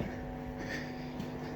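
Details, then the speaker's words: Opel Manta hatchback with Ascona front, first start after about 20 years sitting: a steady drone that stumbles about every half second, a slight misfire. Idle, points and distributor are still to be checked. "a little bit Missy but it hasn't been run for 20 years or so"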